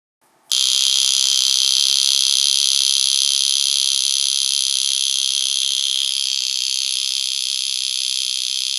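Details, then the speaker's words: Vulcain Cricket vintage mechanical alarm watch after restoration, case back closed so its resonance chamber amplifies the hammer. Loud, steady high-pitched buzz holding evenly; very strong alarm; watch amplitude 312, beat error just above 1. "Yeah, this sound is is very strong. Yeah, it's let's start again. It's yeah, it's a very strong sound."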